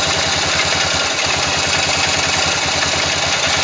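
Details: Yamaha XT 500 single-cylinder at idle, valve clearance checked and ignition timing set with a strobe lamp: steady thump with an extra odd mechanical clatter on each beat; abnormal engine noise, cause unidentified.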